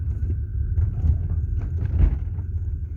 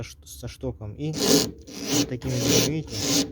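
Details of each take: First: 1990 BMW E34 520 rear right, after replacing rear shock mounts: low road rumble and soft thump over speed bump with no metallic squeak or creak from rear; suspension now quiet. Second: 1990 BMW E34 520, rear right, heard over speed bumps: a repeated rasping creak about once or twice a second. The shock rod is rubbing on a torn rubber top mount, leaving rubber shavings; the mount is being replaced.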